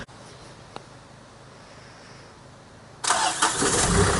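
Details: First cold start of a diesel after a rebuild with fuel hoses redone and a full service: after a quiet pause it fires at once on the key and runs on steadily with no stumble. A normal cold start.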